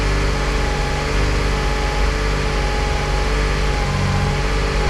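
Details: Crash-damaged Nissan 350Z Nismo during rebuild, after restart: steady, even idle with smooth low rumble, no knocks or misses; normal idle.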